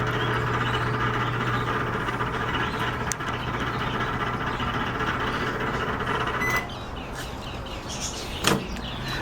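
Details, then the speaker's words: Microwave oven that still heats fine makes a loud steady hum with a rough buzzing drone while the plate turns; the noise comes from the worn turntable (carousel) motor. "Les saluda Joel hoy en este video les voy a mostrar Cómo reparar este horno de microondas que está generando un ruido bastante fuerte y al parecer el ruido proviene del motor o sea lo que es el Carrusel el motor que que hace girar El plato"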